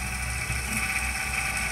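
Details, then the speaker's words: Corsair VS650 power supply fan removed and run from a bench supply at low voltage: buzzing hum with high whine over a low rattle at slow speed; strange vibration. "yes something wrong there"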